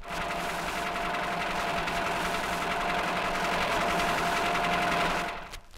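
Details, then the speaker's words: Worn big-end bearing in a car engine: steady rapid knocking about four per second over a rattly engine note, loudest running light in top gear; must be fixed immediately before it wrecks the engine. "and a defective begins it's loudest when the car is running light in top gear this must be fixed immediately before it can wreck the engine"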